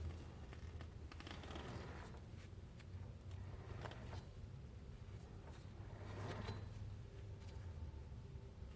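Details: Hyundai Elantra HD (Avante), front wheel hub bearing checked with disc rotor removed for a humming noise while driving: hub turned by hand gives soft smooth whooshing, no grinding, no play; bearing healthy, hum likely tyres, some sound possibly CV joint.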